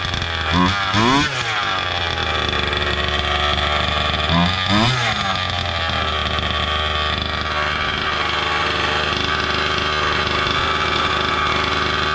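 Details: Gas-powered Losi Desert Buggy XL RC buggy with new aftermarket performance exhaust, kill switch and receiver: small two-stroke revs in two sharp buzzy rises, then settles to a steady high-pitched idle; running clean.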